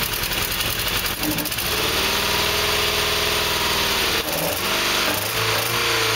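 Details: Nissan CA18DE engine with newly fitted headers, idling: uneven, lumpy wavering idle with hissy, rattly exhaust note; still rough, needs fine tuning.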